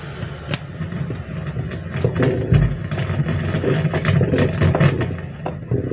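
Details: Amplifier for karaoke, after soldering repair of broken PCB tracks fixed speaker noise: the mic channel still gives a loud, rough low rumble with scattered sharp crackles and pops from the speaker.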